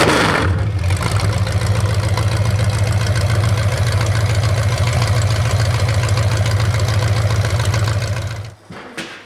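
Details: 427 big-block Chevy on an engine run stand at first fire after a long time unrun, after distributor timing was adjusted (owner thinks he turned it the wrong way): loud, even, deep open-pipe burble at a steady fast idle, then shutdown; normal idle.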